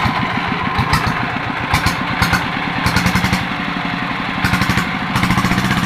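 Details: Yanmar TF115 LM single-cylinder diesel after repair for hard starting (pump plunger, delivery valve, injector replaced; inner bearings not done): slow even idle thump, a few sharp clatters, no misfires; idles normally with good pressure.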